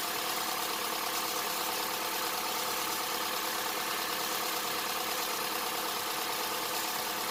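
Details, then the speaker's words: 2007 Honda Accord, just started after timing chain replacement (Melling kit) and valve adjustment, before warm-up and oil change: steady, even idle with only a faint light valve tick, no knock or rattle, no check engine light; normal idle. "Sounds good, no check engine light. We'll get it up to temperature and we'll change the oil."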